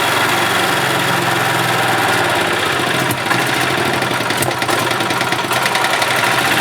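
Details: 1991 Yamaha G8 gas golf cart engine after carburetor cleaned of junk and worn-out fuel pump replaced; small single-cylinder holds a steady, even buzz at idle with no stumbling or hunting: running smoothly.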